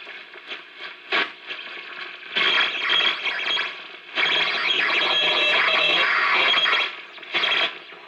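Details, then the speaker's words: RCA 621TS television sound circuit fed a 1 kHz test tone, video IF aligned, voltages and sockets in spec; weak audio with irregular whistles, chirps and hiss instead of the tone; audio oscillation, cause unknown. "Should be getting a tone. But we're just getting a lot of whistles and chirps."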